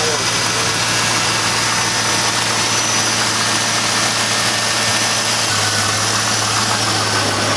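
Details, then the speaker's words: Camaro Z28 V8 sitting about 5 years after Hurricane Harvey flood, first start: constant low drone, even steady purr, no misses, stumbles or knocks; normal idle. "Hopefully it's good. Oh man, that purr. It hasn't ran that smooth. That purr."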